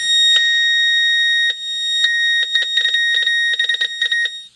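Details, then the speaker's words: Mayfair FT-102A tape recorder amplifier after swapping the noisy RCA for a good one, signal injector at first-stage input: loud steady high tone with choppy bursts; amplifier passes signal strongly and works. "that's loud the amp is in place with the now found good RCA and not the noisy"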